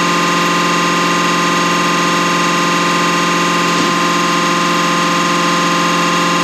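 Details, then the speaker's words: Deutz V8 diesel injection pump from the MAN Kat truck, which could only reach 50 km/h, run on a diesel specialist's test bench after cleaning and full dismantling: smooth, steady buzzing drone with an even fast pulse, no knocks or stumbles, sounds like a V8 engine. "on dirait vraiment un moteur v8 qui tourne là. Je ne pensais vraiment pas que ça faisait un bruit de moteur, on croirait un moteur."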